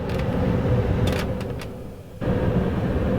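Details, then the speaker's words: 2005 Nissan Titan with manual climate control: loud steady rushing roar of the blower at full blast regardless of setting, dipping briefly then returning full; blower stuck on high, resistor and blower motor replaced as the fix. "I've got this issue here with the blower motor that when I turn it on, it goes to full blast regardless of what the setting is."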